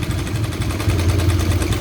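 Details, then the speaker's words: Honda Karisma motorcycle with the previously leaking automatic fuel tap now working normally and the idle reset: steady, low, even idle with no hunting or stalling. Pinching the small vacuum hose now has no effect because the tap works normally. "Oke bisa langsam kembali ya terus selang yang kecil ini ketika ditekan dia itu enggak akan pengaruh"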